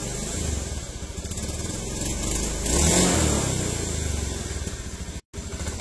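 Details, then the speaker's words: Honda Beat ESP injection scooter, 2016–2017, before repair: revs pulse and surge, hesitating and jerking as the throttle opens at low speed, with throttle and RPM unbalanced. It is normal at mid to high revs. Causes given include dirty air settings, rusty fuse holders and the ECU. "Jadi ketika kita membuka gas, posisi di putaran bawah, antara putaran gas sama RPM mesin itu tidak balen ya, intinya tidak seimbang. Nah seperti ini ya, jadi berbet di putaran bawah."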